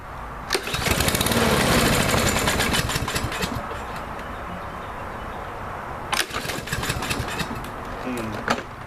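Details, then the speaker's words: Troy-Bilt TB230 169cc 4-stroke mower, cold start after sitting overnight with Sea Foam treatment: catches after pulls, runs ragged and surging. "As you can see, guys, it did need a little bit of help there, which I'm not super surprised about. It didn't quite start right."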